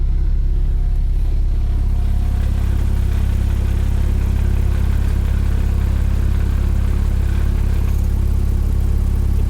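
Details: 2006 Porsche Cayman S with lightweight flywheel, warm at operating temperature, idling with AC on: light, fast clicking, two to three a second, that stops with clutch depressed, AC off, engine cold or in gear; throwout bearing.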